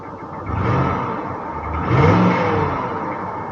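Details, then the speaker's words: Northstar V8 at auction, misfiring hard beforehand: revved twice with a faint deep knock and ticking under the engine note, suspected to be a rod knock (bottom end). "is that a knock no way no way man he hear that ticking that almost sounds like a rod knock"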